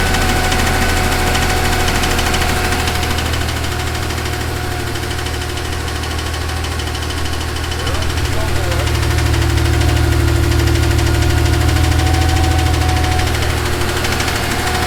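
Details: Porsche 911 idling with a dull, steady knock of about three beats a second deep in the bottom end. Rod knock suspected, not confirmed.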